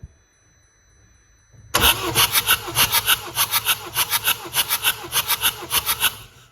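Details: BMW F20 with N47 diesel, suspected hydrolock: starter cranks in even beats about three per second, never fires; compression low, cylinder one around 8 bar, cylinders two and three 16–18, head must come off.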